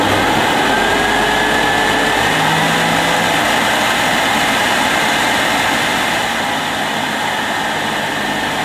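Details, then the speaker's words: 1973 Hoover Senior 6525C vacuum cleaner, 240 V, two-speed motor, boosted by a micro switch from 420 W carpet mode to 650 W for tool use: loud, steady high rushing whine with even airflow roar, no rattles or surging; runs smoothly at full power. "there's a little micro switch here you can just just if i shut up a minute you can hear it and that's what boosts the motor from its normal carpet cleaning to its 650 watts for above floor cleaning so i can show you that in action"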